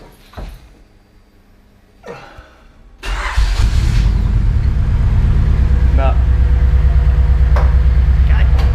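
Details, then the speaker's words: Honda Civic EG6 at idle after fitting a new chip: uneven thumping lope about three beats a second; still misfiring, distributor next suspect, cause unconfirmed. "well change the spark plugs have changed everything on the ignition system and it's still misfiring"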